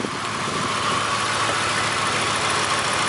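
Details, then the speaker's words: 1999 Grand Marquis P71 4.6 V8 ice-cream truck that developed a miss in cold weather: the idle has an uneven, stumbling beat and shaking over a hissy background, a lean misfire. "okay now you can tell he's definitely missing so I think our next thing will be to"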